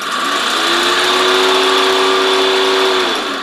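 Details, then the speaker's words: The radiator auxiliary condenser fan from a Mercedes 300D turbo, unplugged and jumpered directly to 12 V, spins up to a buzzing whine with a coarse, gritty rattle; the bearing is probably out, so the fan is being replaced. "I think you can tell that the bearings probably out on that fan. It certainly is uh making a racket there."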